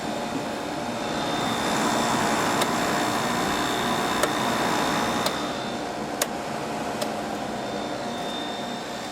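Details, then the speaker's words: Samsung 5,000 BTU window AC (about 2000, R-22 rotary compressor) after repairing corroded capacitor power wire: on high cool, steady fan whir over low compressor hum with a few faint ticks; very quiet, running normally. "Yeah, the rotary sounds good. The rotary sounds like it's brand new. Very quiet."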